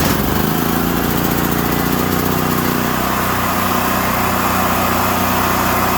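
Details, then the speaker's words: Generac RS8000E generator with 2.9 hours, which surged after a fuel inlet replacement, started on choke after carburetor cleaning and fuel system flush: settles into a steady, even run with no hunting or surging; normal running. "So it looks like we got it back up and running good. I'm sure there won't be any more surging since the carburetor's cleaned."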